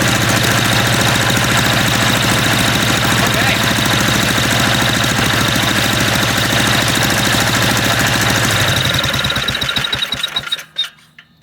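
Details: MTD walk-behind lawn vacuum blower, unused about three years: loud, harsh, uneven small-engine clatter holds steady, then is switched off and dies, sounding like it might detonate itself; loud rough running after long storage.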